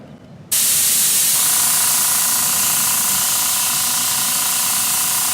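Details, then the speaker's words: Paasche airbrush on a Master Airbrush TC-40T compressor, first-time use: steady sharp hiss with no change, only air coming out; paint too thick, later thinned about 50% with water. "Okay, I figured it out. It was too thick. Yeah. So as you can see now, it's nice and watery in there."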